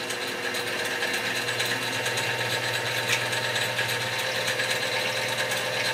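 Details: X2 mini-mill (CX605) after repositioning the motor, redistributing grease and adding O-ring washers to damp vibration: steady, even gear whir with a light regular tick, no harsh grinding or rattle; smooth gear mesh.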